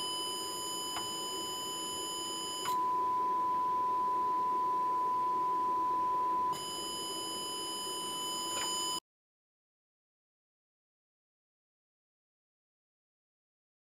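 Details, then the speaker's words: TC Electronic Fireworx effects unit with a 440 Hz sine fed into the analog input in bypass and passed digitally to a second device. Steady tone carries added buzzy overtones, then cuts to silence. Distortion is introduced at or after the analog-to-digital converter (AK5392); owner suspects a ground issue, unconfirmed. "okay so what I did there's a 440 HZ sinus wave going into the anlog input being digitized and I put it on bypass"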